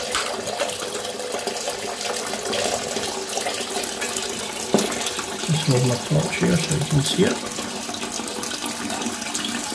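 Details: 10-year-old Ideal Standard toilet after refitting an inlet valve part, which clicks into place: steady rush of water refilling the cistern with a few soft clunks midway as the valve settles; normal refill.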